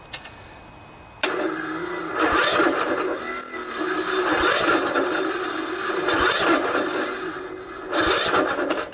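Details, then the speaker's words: 16 HP Briggs & Stratton single-cylinder OHV engine on a riding lawn mower, chilly about 40°F, new charged battery; starter grinds slowly in laboured heaves, won't catch; hard cranking, too much compression, valves most likely need adjusting. "see it's just really tough It's struggling so when you have a situation like that uh nine times out of 10 if you've made sure that the battery was good and and that the solenoid was good and your starter motor was good um nine times out of 10 the problem is that the valves need to be adjusted"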